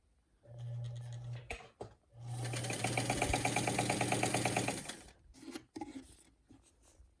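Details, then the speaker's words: Peerless sewing machine, a Singer 15 clone, cleaned up with its original motor, sewing forward: steady motor hum with even, quick stitch clatter about three per second in two short runs; smooth and healthy. "I'm just going to sew so you can hear how this machine is. It cleaned up really nicely. It has the original motor and it's just sewing really nicely."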